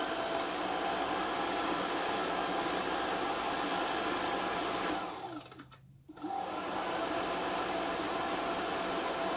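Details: VW Squareback fresh air box blower after restoration and reassembly: steady even airy whoosh, short dip mid-run, then smooth again; blower sounds healthy.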